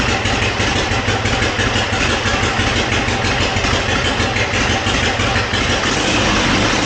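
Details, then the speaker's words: 1957 Harley-Davidson Panhead V-twin, first start after long storage with rebuilt Linkert carburetor: loud uneven idle with raspy chuffing edge; exhaust flanges at the heads not fully tightened and leaking, also hard starting. "The exhaust flanges at the heads were also not tightened down all the way. So, I had some exhaust leaks there."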